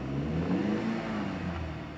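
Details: BMW 116i petrol just restarted after 1.5 years parked, with codes cleared and fuel rail pressure released, camshaft/crankshaft correlation faults and engine light present: revs waver and surge rather than climbing smoothly, a jumpy rough run; cam chain to be checked, cause unconfirmed.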